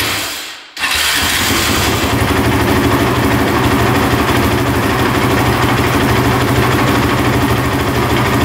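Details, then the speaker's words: Honda TRX450 quad with carburettor, fuel on reserve, choke out, started in a heated garage: uneven, lumpy run with heavy top-end chatter, keeps shutting off; bogs and won't rev out, cause unknown. "start it up you can hear a lot of chattering in the top end see if he fires back up but yeah it's not running right for sure"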